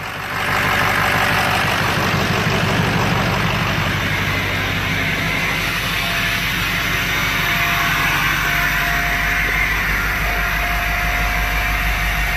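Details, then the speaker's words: Ford 6.0 Powerstroke diesel just started after misfire repair with new injector and fault code cleared: strong, even rumble with loud steady turbo whistle, no stumble, sounds healthier. Finding: normal running after repair. "Right now it's running like a dream. Sounds a heck of a lot better. Sounds a lot healthier."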